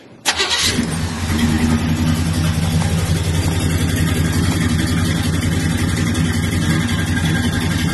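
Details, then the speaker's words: 1973 V8 donk on 26-inch wheels after a retaining spring seat fix: starts quickly and idles steady and even like a sewing machine, no more sputtering, no air cleaner on the carburetor, a small exhaust leak heard; normal start and idle. "I said this thing run like a sewing machine, boy. Run like a sewing machine, man."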